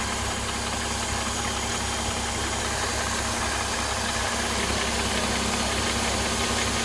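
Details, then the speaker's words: Mercedes M272 engine warm idle after cold start, bonnet open: light, fairly even metallic tapping/rustling about three per second, seemingly from the left side, slightly diesel-like; absent when cold, owner unsure of cause. "Сейчас, когда он прогреется, начнется этот шелест. Такой что-то типа тарабанит, такой металлический должен быть."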